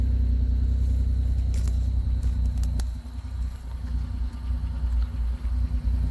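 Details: Pontiac Grand Am 3400 V6 with a new 65mm throttle body, muffler and GMC Acadia exhaust tips: a few high clicks, then a deep, even exhaust rumble settling into a smooth, steady idle with no knocks or misses.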